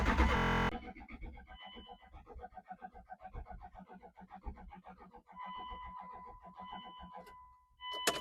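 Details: 1998 Dodge Durango, sat over 10 years, on jumper cables after the fuel pump was heard running: even, rapid cranking for several seconds with no firing; won't start, owner wonders if injectors are firing.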